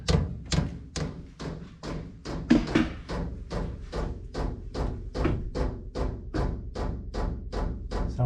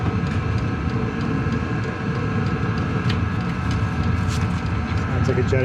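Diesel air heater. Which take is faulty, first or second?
first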